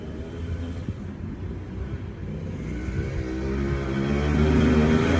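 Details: TC125 two-stroke dirt bike after a carb clean and a new fuel line with filter, on a cold day: buzz rising steadily as throttle opens, crisp and even with no misfire; normal running.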